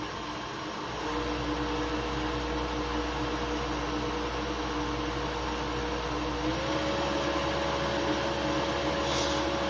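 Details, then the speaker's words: CNC mill spindle driven by a 2.2 kW (3 hp) AC motor on a VFD, on its first run with newly installed bearings: a steady hum with clean tones stepping up as the speed is raised; earlier vibration gone, bearing warming; spindle running normally. "there's no vibration though they can feel is very good"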